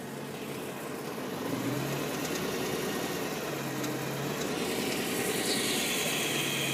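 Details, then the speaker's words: 2010 BMW M3 V8, fully warm after over an hour of driving, recorded from below the engine: light, uneven ticking about three or four per second, appearing at certain rpm, sounding like something loose inside; cause unclear. "Okay, I'm gonna record the noise from the bottom of the engine. That sounds like a ticking noise, like it's something's loose inside."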